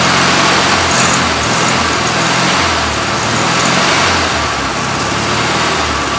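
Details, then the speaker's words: 1967 VW Karmann Ghia air-cooled engine, abandoned 45 years: runs with an uneven, lumpy beat wavering in strength, living only on fuel left in the carb as the fuel pump delivers nothing; won't stay running. Rough running. "so um nothing coming to the pump the pump is dead all right something's going on at the pump that's why it won't stay running"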